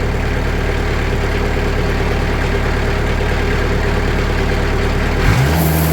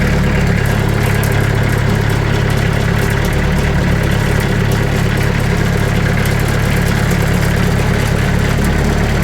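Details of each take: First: Sawmill engine after fitting 2 mm (80 mil) sound-deadening mat to the doors: steady smooth drone at increased RPM; panel still visibly rattles but no rattle heard, quieter than before. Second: Sawmill engine at idle with the blade tensioned to about 500 psi, before door sound-dampening mat is added: steady low idle with a busy buzzing metallic rattle from a loose sheet-metal door panel.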